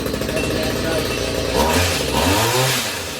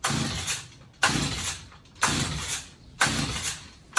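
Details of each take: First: Stihl HS45 two-stroke hedge trimmer after clearing clogged spark arrestor and cleaned carburettor jets: buzzes at high idle, picks up briefly with throttle and settles back smoothly; normal running. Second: Stihl HS45 hedge trimmer found in hard rubbish, has compression, not seized: eight pull-cord rips about one a second, each fading with no firing; won't start, spark found very weak at the plug, new plug to be tried.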